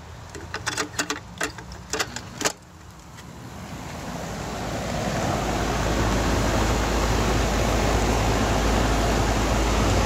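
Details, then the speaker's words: Goodman AC condenser whose compressor wouldn't start, after replacing the capacitor and adding a hard start kit: sharp clicks, then low hum and rushing air building and holding steady; compressor and fan now running normally. "we go hard start worked fired off so we'll go ahead and mount the hard start shut it back off mount that"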